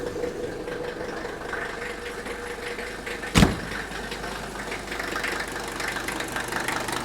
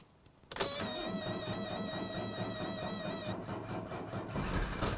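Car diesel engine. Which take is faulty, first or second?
first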